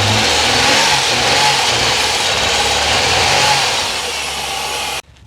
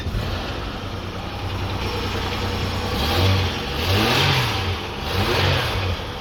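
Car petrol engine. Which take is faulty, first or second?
first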